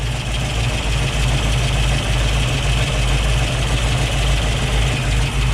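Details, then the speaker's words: 1965 Ford Mustang Fastback V8 with headers and Flowmaster dual exhaust, idle turned down from too high while air cleaner barely warm, choke likely not engaging; now a deep, steady, even rumble, normal idle. "all right that sounds a lot better we're going to continue the test drive just like this"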